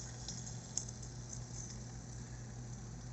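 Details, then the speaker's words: Electric heater fan motor after oiling (previously made nasty noises with the blade off), blade refitted: faint steady low hum with no rubbing or squeal; quiet, normal fan motor running after repair. "it's spinning though so I'm gonna slip the fan back on see what happens yeah there it is nice and quiet"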